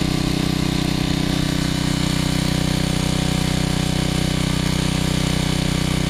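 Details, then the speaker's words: Generac 750 W generator after final mixer adjustment: small engine holds an even, steady drone with no rise and fall in speed; no longer surging. "suggested how to set the mixer on that but that's okay it's done and you can hear it's no longer surging"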